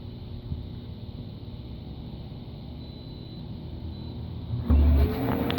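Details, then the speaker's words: Bestway Lay-Z-Spa Miami inflatable hot tub, about three years old, air pump with bubble jets on: steady low rumbling drone, shop-vac-like but quieter, with even bubbling wash over it; normal running. "It is going to get a little bit loud. The pump does sound a bit like a shop vac. Not quite as loud, thankfully, with this model. It's a bit quieter."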